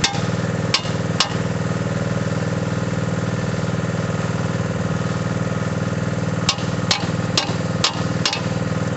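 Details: Mini digger diesel, previously not starting (lazy starter motor suspected), now idles steadily and evenly with a few sharp metallic knocks from nearby work; normal running.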